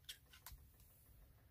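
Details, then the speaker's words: Chinese diesel heater in a box in a tent trailer, after running out of diesel (error E-08): faint sharp ticks in quick succession as the dosing pump is switched on to prime the empty line, clicking much faster than in normal running. "i've turned the pump on to prime because it had completely run out of diesel i'm quiet you can hear it luckily you don't have to prime very often because that would be pretty uh annoying"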